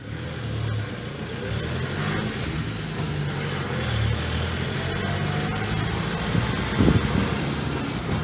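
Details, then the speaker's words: 2006 Toyota Hilux, 1KD-FTV diesel just fully rebuilt after a seized engine, on road test: faint high whistle rising and falling with throttle over road and engine rumble; turbo rotating assembly noise, turbo not touched, owner likely had it before. "ela tá fazendo um barulho na turbina o benefício do conjunto rotativo né eu não mexi isso vou falar com o proprietário se ela já tinha esse barulho né"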